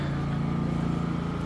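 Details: Champion 4500 dual-fuel inverter generator on propane, about 2.6 hours on it, 122 V 60 Hz, hooked to the RV's 30-amp input before the AC is started: steady, even low hum with no knocks or hunting, a clean idle.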